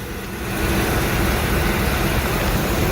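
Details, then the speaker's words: 1994 Ford E-350 petrol V8, about 120k, after exhaust manifold reinstall with milled face and new spark plugs: steady, even, smooth idle with no ticking or puffing, exhaust leak sealed. "sounds like it is sealed up running very smoothly too"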